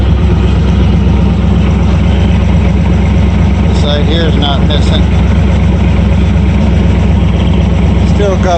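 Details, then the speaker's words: V8 after throttle blip: loud, steady idle with an even beat and no misses, returning right down to a good idle; water pump audible. "it comes right down with good idle can you hear that water pump"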